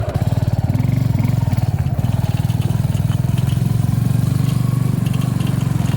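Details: Suzuki V-Strom 250 SX motorcycle at idle: quick even single-cylinder thump with a light metallic rattle on top; engine rattling noise.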